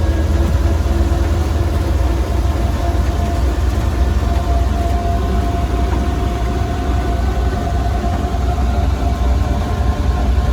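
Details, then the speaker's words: 1934 Ford Model BB dually truck with flathead V8, driving: steady heavy low rumble with a faint even gear whine on top; the gears make the most noise and drown out the engine, which is normal for this truck. "you really can't hear the engine in this thing when you drive because the gears make the most noise as you can hear"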